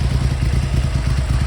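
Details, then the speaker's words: Triumph Hurricane X75 triple after restoration, still warming with choke on and throttle slightly sticking; lumpy, uneven tick-over, light on the right-hand cylinder, which seems weak; rough idle, cause unclear. "it is a bit rough on tick over not the worst I've ever encountered and uh it's certainly light on the right hand pot"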